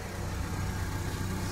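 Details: 8th-gen Honda Civic idling, heard from underneath while checking engine and exhaust mounts for a vibration/rattle around 1300 rpm; steady, even low rumble with no puffing or ticking. Normal exhaust at idle, sealed with no leaks.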